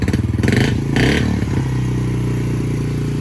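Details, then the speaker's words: 2019 Yamaha TT-R50 that only ran on choke when cold: while adjusting the pilot screw a quarter turn at a time, revs hang for a second after a blip before easing back to idle, showing the mixture is still too lean. "So what we're getting right now is kind of like a hanging idle, and that just means we're still a bit too lean."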